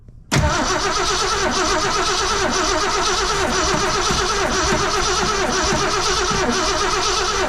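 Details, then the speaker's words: 1966 Ford Fairlane 390 FE V8, rebuilt Autolite 4100 carburetor, in neutral; starter churns evenly over seven seconds, engine never catches; no spark because the coil wire was left unhooked. "I think we found out that our coil wire was not hooked up as well. So it's amazing that it didn't fire when it was getting gas, but that's the reason why."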